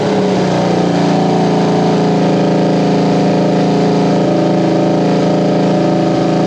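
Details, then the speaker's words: 1973 Honda CB350G twin, after installing a Mikuni VM28 carb kit and reseating one slide, starts and runs: steady, even drone with slight wavering, clean and healthy. Owner still has a leaky petcock to sort out. "so hey guys so there you have it it's a runner"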